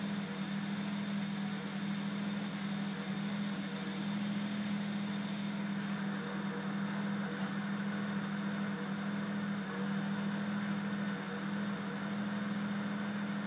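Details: 335i rough idle: low idle hum at 800 rpm sagging as low as 650, with a faint unevenness in the beat.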